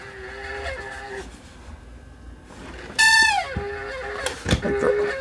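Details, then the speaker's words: Year-old cheap space heater, fan motor whines then screeches rising and falling after sitting all summer; fan motor sounds seized, dry stuck sleeve bearing causing squeal and sticking on start-up, fan to be lubricated. "think the fan motor just came on it's the fan cheap fan the motor is sounds like it's eased up"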